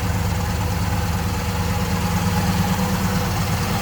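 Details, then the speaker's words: 1965 Chevrolet Impala SS convertible with an era-correct 327 V8 (block suffix believed to be 8A) and automatic transmission, heard from behind the car: a deep, even idle rumble with no knocks or ticks. It runs normally. "Again, error correct 327. I believe 8A is the suffix code on that block. Give you an idea how it sounds."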